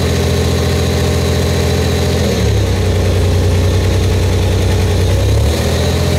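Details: Buick Grand National freshly rebuilt engine, first start during cam break-in, held at 1500–2000 rpm for 10 minutes, no thermostat: steady, even fast idle with a deep smooth drone, revs step up briefly and settle cleanly, no knock or miss; good oil pressure, warming up.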